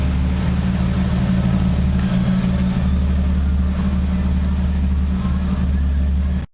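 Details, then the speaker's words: 1982 Ford Cortina TE Mk4 80, 40 years old, carburetted, started cold after fresh oil and filter: starts easily, deep steady even idle with no misses, knocks or rattles; owner unsure whether it's been worked on. "it starts quite easily pretty quiet i don't know whether it's been worked up or not maybe maybe not pretty decent car though"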